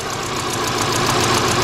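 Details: 2000 Subaru Impreza Outback 2.2, uneven idle with a recurring stumble; owner suspects a burnt valve; cylinders unplugged one by one, two cylinders on one side found good, dead cylinder not yet found; misfire.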